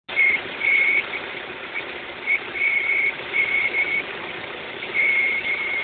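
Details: X20XEV petrol engine, warm (noise occurs only when warm): thin, high whistle cutting in and out over the running engine.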